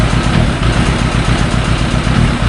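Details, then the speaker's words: Yamaha YZF1000 Thunderace on the bench, hot at idle: uneven idle with one cylinder cutting in and out, running on three cylinders, plus faint ticking from the EXUP valve chattering; the misfire disappears off idle and only occurs when hot. "you can hear a little bit of a ticking in the background when it's misfiring it's the exup valve shattering yeah that now that's on three cylinders as soon as you bring it off idle the Mist goes away"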